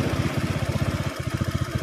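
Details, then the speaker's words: Suzuki Nex carburetor motorbike, hard to start when cold, with the carburetor TPS sensor being installed, raising idle rpm: even, steady single-cylinder putt at about ten beats a second, no misses; normal idle. "When you take it off, it goes down, yes, the RPM, then when you put it on, it goes up"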